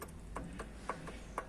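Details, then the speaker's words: Fiat Palio engine: sharp, regular rod knock about four times a second over a low hum, from connecting rod bearing clearance after running with no oil; the bearing shells are damaged and the engine needs a rebuild. "Aí a bielinha aí já era."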